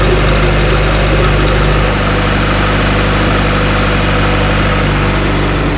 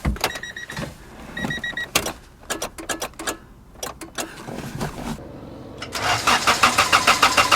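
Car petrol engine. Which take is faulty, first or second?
second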